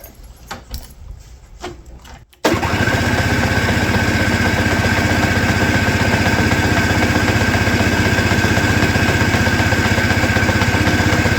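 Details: Roadside-rescued, rehabbed Toro S-200 two-stroke snowblower, cold, on John Deere two-stroke oil mix, choke on, started with the electric start: a few weak cranking bursts, then it catches abruptly into a fast, even rattle; slow, reluctant cold start.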